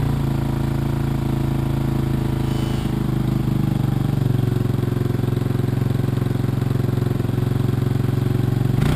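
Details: 1986 Honda TRX200SX single-cylinder quad just started after steering shaft repair, choke partly on: fast steady idle with raspy chuff, not settling; idle set too high, needs turning down.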